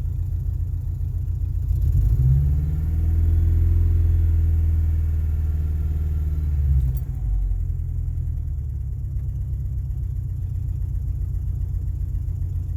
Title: rough idle on start up 2000 XLT 2.5 Lima